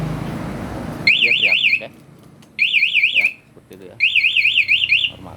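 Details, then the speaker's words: Honda Scoopy with remote anti-theft alarm, armed: cranking the starter won't start it, and forcing it about 5–10 seconds sets off three loud warbling siren bursts. "coba starter dari sini ya nggak bisa hidup ya Kalau dipaksa kurang lebih 5-10 detik maka akan teriak ya"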